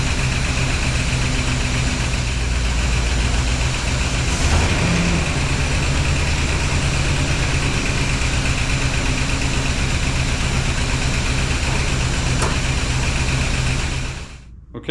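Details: 1976 Pontiac Firebird Esprit 350 V8 running after reseal, after adding more ATF, run through the gears; steady, even smooth idle, no knocks, misses or hunting; oil pressure strong.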